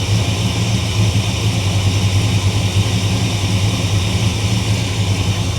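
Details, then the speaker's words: 1957 Chevy Bel Air V8, cold, carburetor just retightened, true dual exhaust without crossover: deep even burble with steady lope, no stumbles or rattles; normal settled idle. "listen to that true dual exhaust no crossover pipes each exhaust pipe goes straight to that side of the engine doesn't she sound good I like where the idle sitting at sounds"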